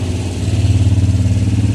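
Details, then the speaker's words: Digitech RP300 guitar effects unit that malfunctions erratically due to a faulty power supply. The power transformer gives a loud, steady low mains hum pulsing about thirteen times a second, described as knocking. "There's a knocking sound in the transformer."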